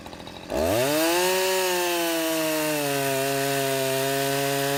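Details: Husqvarna 353 chainsaw after gas line and chain drive repair and carburetor tuning: catches after half a second, revs up cleanly and holds a steady, clear high drone without surging; runs properly.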